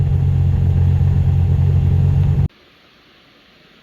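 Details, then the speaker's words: Centurion engine that had quit spitting (owner suspects bad fuel), run on a small gas container: steady, even low rumble running mostly smooth after clearing up, then cutting out as the container runs out of gas. "it's running perfectly well mostly smooth that might have been the Cog right there"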